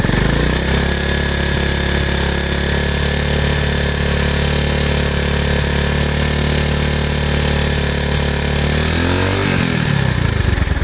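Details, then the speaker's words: Honda Megapro single, held at about 3/4 throttle around 3000-5000 rpm: harsh, rattly, gravelly roar with metallic clatter over it; scored piston and rings. "suara ini ditimbulkan dari satu yang jelas ini yang bermasalah di bagian sehernya baik itu ring seher ataupun sehernya yang karet"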